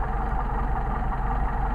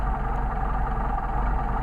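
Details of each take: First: Mercedes 190SL with freshly machined, rebuilt twin Solex carburetors, idle mixture set, running slightly low at about 500–700 rpm: steady, even idle with no stumble or hunting; carbs well balanced, normal idle. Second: Mercedes 190SL with rebuilt Solex carburetors idling low, about 500–700 rpm, while idle mixture screws are set during tuning: low idle that roughens and wavers, soft hiss of air into the carb throat; idle stumble from maladjusted mixture screw.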